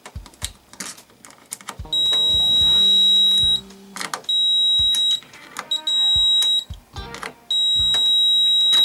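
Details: Magnavox 39ME313V/F7 39-inch LED TV that squeals without powering on, testing the large secondary-side rectifier diodes on the power supply with a meter: long, steady high-pitched continuity beeps between probe clicks; diode reads dead short.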